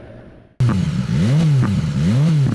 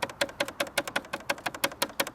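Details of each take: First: BMW S1000XR motorcycle ridden in Dynamic mode; revs swing up and down with sharp pops on each lift-off, a factory-programmed overrun exhaust crackle, normal. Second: BMW S1000XR riding: rapid, sharp, dry ticking about six a second, like a loose panel buzzing with engine vibration; rattle on one side only, source unknown.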